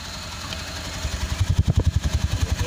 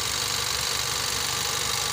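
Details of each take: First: 2017 Nissan X-Trail T32 non-hybrid, plugs and coils already replaced, check engine light on: idle starts soft then turns into heavy, uneven low thumps that lope and shake, a rough idle misfire; cause not yet confirmed. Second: 2017 Nissan X-Trail T32 non-hybrid, complaint of rough running and hard starting (P0335 crank sensor), plugs recently replaced elsewhere; warming up during ignition checks: even idle with constant hiss, no stumbles or knocks; normal idle.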